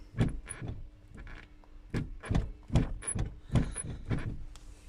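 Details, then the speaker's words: 2015 Toyota Prado rear seat; dull, uneven clunks about twice a second as the loose backrest knocks in its worn recline hinge. "В общем болтаются задние сиденья вот так вот это всё происходит у нас там всё болтается вместе с"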